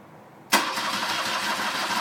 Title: R65 Rough running/misfire